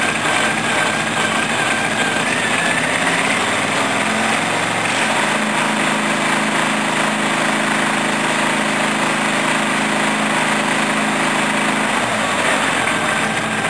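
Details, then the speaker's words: Briggs & Stratton 14 hp OHV Vanguard V-twin tractor with new ignition, start-up: engine catches into an uneven shuddering beat for several seconds before dropping away; the judder comes from an unnamed part, and the clutch must be applied. "The weird juddering noise is the bloody whatchamacallit. So I need to put the clutch on as well."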